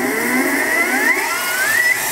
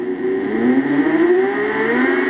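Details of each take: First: Harbor Freight mini mill retrofitted with 600 W surplus e-scooter brushless DC motor and Little Machine Shop belt drive: smooth whir climbing steadily in pitch as spindle quickly winds up to roughly 2200 rpm (original 2500), no grinding; normal acceleration. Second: Harbor Freight mini mill retrofitted with surplus 600 W brushless DC e-scooter motor, first run on power supply, speed control starting very slowly: several whining tones climb together with a warbly edge, weird motor sound; cause not confirmed.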